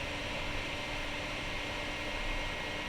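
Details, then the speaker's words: 2008 iMac in a cool 68.9°F room, just woken from sleep with only one Safari window open: a steady loud airy rush and low hum from the back as the fans go to full speed. All the fans were already replaced. "The fan noise has begun. It's coming from the back."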